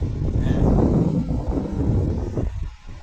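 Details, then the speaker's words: Car AC cabin blower after cleaning a dirt-clogged, damaged AC filter that had reduced airflow and cooling: strong, steady rush of air with low whooshing roar, no rattles or squeals, louder than before; normal blower airflow. "অনেক জোরে আসতেছে এবং আওয়াজটা কিন্তু বোঝা যায় যে অনেক বাতাসের আওয়াজ। কিন্তু না, আগে এই শব্দটা হইতোই না, এত জোরে বাতাসও কম আসতো।"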